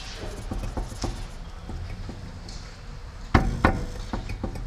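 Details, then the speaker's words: Mercedes 300TE wheel rocked by hand: light dull knocks from slight wheel bearing play, not too critical yet. "This wheel has a little bit of play in it. That's the bearing already. So you can hear it here."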